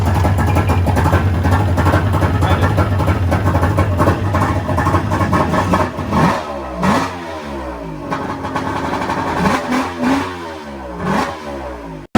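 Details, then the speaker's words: 1999 Yamaha GP1200 non-power-valve two-stroke after new starter, Bendix, armature, stator, crank seals, wiring, battery and TDR Waterbox (was no-spark, Bendix not engaging, water in stator cover): steady idle and clean throttle blips, no misses; runs healthy. "Got the new TDR Waterbox in there, brand new battery. And she's sounds good."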